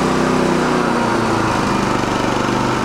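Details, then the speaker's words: Champion dual-fuel generator running on propane after an electric start, switched into economy mode: a small single-cylinder engine holds a steady, even, noticeably quieter drone with no misses or knocks. This is normal running. "when you engage the economy mode it gets a good bit quieter"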